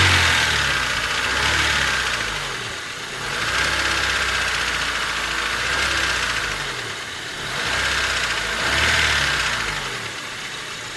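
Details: Honda Civic D16Y8 petrol engine idling hot: light, quick ticking over a hiss that swells and fades every few seconds; 185 psi compression on all four cylinders, valves already adjusted, noise started suddenly, no power loss.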